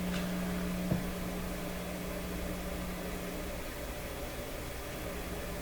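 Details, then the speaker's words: Seeburg SHFA1 stereo amplifier at first power-up, one channel tested: a low, constant hum under faint hiss, appearing after a squeal; the hum varies with the volume control, and its source is not yet found. "there's a new hum there's a new hum in town and it's volume dependent so the volume control appears to be working right"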